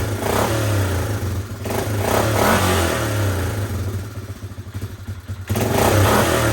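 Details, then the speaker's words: Suzuki Eiger 400 ATV after cleaning the ground terminals with sandpaper and fitting a new starter: the single-cylinder engine catches and revs up and down repeatedly, pulling cleanly each time; it starts and runs normally. "It's running."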